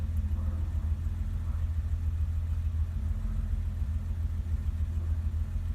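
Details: 1988 BMW 325 sedan six-cylinder idling after cold start as temperature gauge rises: steady even low rumble, no knocks or misses; idles normally.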